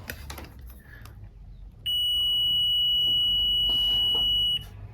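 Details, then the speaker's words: Multimeter in diode/buzzer mode testing 16 V 22 µF capacitor: clean steady high beep under three seconds then cuts off as it charges; capacitor tests good. "Check करने के लिए सबसे पहले दोनों problem आऊंगा और आप देखेंगे एक बार यह ज्यादा हो रही है उसके बाद एक आ रहा है अभी चार्ज हो चुका है"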